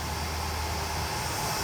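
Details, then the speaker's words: GatesAir ULXTE-40 UHF transmitter, GE 3500 W power supply after replacing bad-bearing San Ace fans: steady even airflow rush and hum, no ticking or grinding; normal fan running. "that one's back lit up again and so far no racket"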